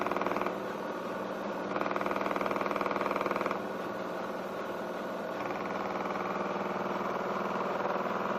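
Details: Miele washing machine on a non-concrete floor, spinning 1.6 kg of dry laundry; the noise began 2–3 weeks after purchase. A quiet, steady buzzing rattle pulses about four times a second, rising and easing. Abnormal vibration; the owner suspects weak plastic connectors.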